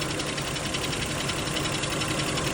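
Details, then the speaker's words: BMW X5 E53 with M54 3.0i engine, cracked flexplate (converter-to-engine drive plate), heard from below on a lift at idle in Drive: dull, steady, muffled knock rather than a ringing one; cracked flexplate. "Обычно пластина более звонкий какой-то звук издаёт. Здесь он более глухой такой стучочек, кулачочек."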